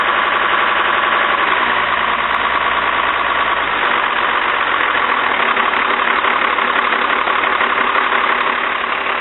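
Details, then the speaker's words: Cummins diesel with VE injection pump, just restarted after replacing leaking cylinder 2 injector line, lots of smoke: rough, lumpy idle with uneven beat as one cylinder misfires from air in the lines; cleared after about 4 minutes running. "Did have a lot of air in the line. So at this point I was getting pretty concerned. It seemed to have a misfire on one cylinder, but after we ran it for about 4 minutes, it cleared up and was running normal again."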